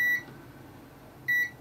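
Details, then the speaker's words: Continuity test of filters in a docking station after a bad USB port, before reassembly: two crisp identical high beeps confirming an unbroken path through the filter; filter good. "we are looking for a continuous path through the filters"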